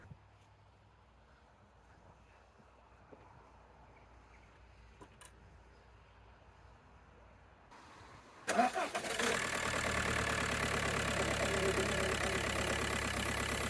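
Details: 2004/05 Audi A6 1.9 diesel with hesitation and heavy smoke, after diesel fuel filter replacement, key cycled to prime, airlock feared: quiet cranking, then a sudden catch as it fires and settles into a steady idle without stumbling.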